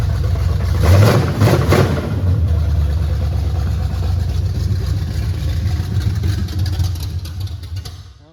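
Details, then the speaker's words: 1979 Chevy Camaro, first start in 4 years, with throttle pats: deep, lumpy, uneven running that sags and dies after about eight seconds, still choking; junk smoking off the hot header. "she's still choking out here. We'll do it one more time."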